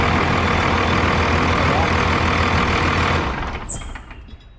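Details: 2001 Freightliner bus conversion with 24-valve Cummins diesel, after a fuel filter change and fuel system bleed: steady, even idle for about three seconds, then winds down and stops, with no stumbling or misfire.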